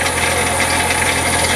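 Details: Ford Territory, automatic traded in after owner was told transmission was trashed: continuous metallic rattle over a steady idle, no clear rhythm; torque converter collapse suspected, not confirmed.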